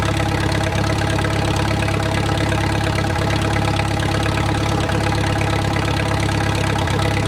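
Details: Wartime H engine first run after 20-plus years sitting, just fired and breaking itself back in: slow, steady thumping idle about three beats a second, even and regular, running fine.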